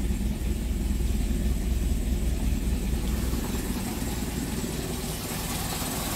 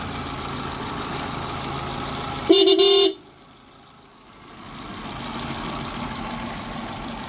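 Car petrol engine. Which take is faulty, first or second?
first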